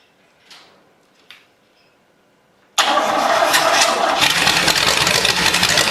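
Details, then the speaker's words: Cadillac 390 V8 first start after sitting 8 years, fuel pump off and intake primed; clicks then catches and settles into loud, fairly even running; carburetor leaks slightly, water pump leaking. "well that wasn't too bad of a first start for sitting for 8 years uh carburetor does have a little bit of a leak but I kind of figured as much"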